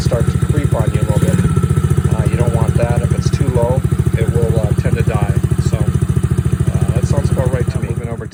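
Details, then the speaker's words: Coolster Chinese 110cc ATV single-cylinder engine after oil change, spark plug change and idle screw adjustment: steady even putter about 3.5 firings a second, holding speed without hunting; idle set about right. "i think uh that's about the right rpm for idle obviously if it gets too high it will start"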